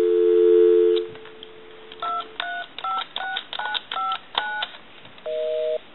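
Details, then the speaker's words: Repaired duck novelty telephone on a live line, calling the repairman's own number: dial tone, a quick burst of touch-tone digits, then the line returns busy, showing it dials out and works properly. "ok we can call one other number we can call my number and it'll be busy"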